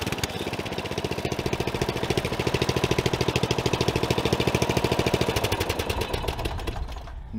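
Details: Old Murray riding mower, single-cylinder, revved and held during a used-mower inspection while checking for smoke: fast, even firing pulses with a light ticking on top. Slight valve rattle, otherwise runs fine.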